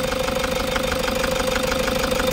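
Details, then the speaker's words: Toyota Hiace 3.0 diesel with check engine light on and strong engine vibration, odometer reading 2668. Idle has an uneven, lumpy, loping pulse instead of a smooth clatter; injectors suspected dead, wiring found intact. "Tingan niyo yung vibration mga boss naka-check engine ta vibration ng makina ang lakas"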